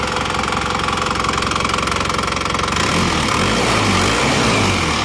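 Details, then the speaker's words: Engine rebuilt after burning 6 liters of oil in under 2000 km, now warm after about 15 minutes running. Smooth, regular idle around 220 beats a minute, then revs lift slightly, with no rough knock or rattle: normal idle after repair. "Insya Allah ini sudah oke ya, nggak kasar. Nah, ini sudah oke ya."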